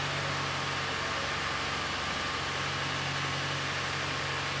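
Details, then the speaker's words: 2017 Ford F-150 3.5L EcoBoost, freshly swapped engine with new turbos and new fuel system, just started after long priming crank; steady smooth idle, no knocks, ticks or misses, healthy. "so all that's totally to be expected except for the battery issue sounds good real good actually"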